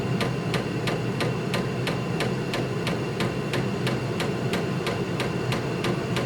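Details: 8 kW Vevor diesel heater in uninsulated barn, cranked to level 4 of 6: sharp even fuel pump ticks about three per second over steady burner roar; dosing pump normal, heater running well.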